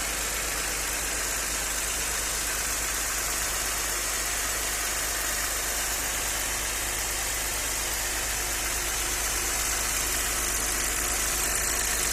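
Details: Audi 100 C4 2.6 at idle: fast, slightly uneven tapping over a hiss-heavy engine note; owner asks what is knocking, cause unknown.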